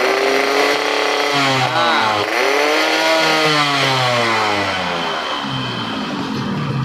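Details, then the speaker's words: Two-stroke motorcycle (RX-King): raspy revving, coarse and uneven through rev changes; owner suspects piston and connecting rod noise, clutch rubber also noisy when clutch pulled. Rough running, cause not confirmed. "ya teman-temanku ini suaranya kasar suara lahar kertas seher longer sama suara stang seher ya teman-teman"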